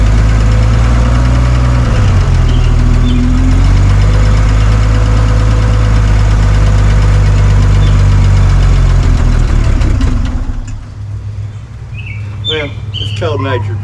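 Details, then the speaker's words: 1962 Hyster Pioneer 60 forklift after Zenith single-barrel carburetor rebuild, cold start with hand choke: steady low rumble at even idle, no miss, knock or hunting; runs smoothly, like a top. "we need this to say it does run and it runs like a top so you'll see this again"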